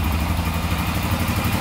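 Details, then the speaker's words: Rebuilt Honda 400EX single-cylinder quad after valve adjustment and new exhaust gaskets fixed an exhaust leak: smooth, even, quiet idle with no ticking and no exhaust puffing. "pretty quiet machine for 400 ex no ticking whatsoever listen to that engine sounds really good"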